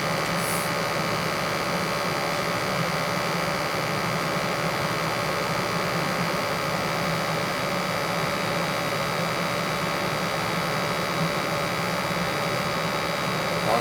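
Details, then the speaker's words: Newly installed 80+ gas furnace (replacing a 1960 unit), running a while in a 50°F house set to 70 during a combustion check: smooth constant burner roar and steady blower hum, no rattles, surges or squeals; normal. "It's been running for a little bit here, picking up all my stuff."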